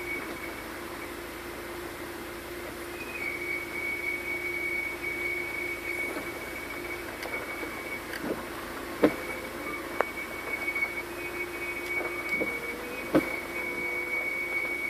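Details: Audi RS4, owner suspects the clutch: after a bit of acceleration then braking, a thin steady high-pitched whine sometimes rides over a low hum with scattered light clicks; cause not confirmed.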